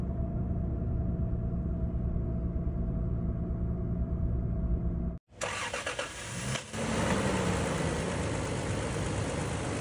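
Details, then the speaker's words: Toyota Land Cruiser V6 after repair of engine noise caused by a broken oil-gallery part feeding the camshaft: steady, even idle with smooth low hum, no knocks or ticking; normal idle. "Okay तो अल्हम्दुलिल्लाह गाड़ी बिल्कुल सही हो चुकी है तो इसमें बस छोटा सा पार्ट था"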